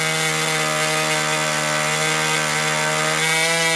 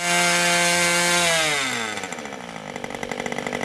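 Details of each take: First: Old Austrian HP 61 two-stroke nitro RC airplane engine idling to check transition after high-end leaning: steady high buzzing idle that holds without sagging, slightly soft; low-end transition still a little rich. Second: Old Austrian HP 61 two-stroke nitro RC airplane engine at full throttle, high-speed needle about half a turn in from start: clean steady high scream, then revs fall to crackly lower run; high end well tuned, not tach-checked.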